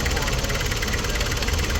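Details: Nissan Urvan TD27 diesel, former school service van, after replacing the crushed engine and transmission supports that caused vibration and underside striking: steady even clatter at idle, no thumps or shaking; idling smoothly.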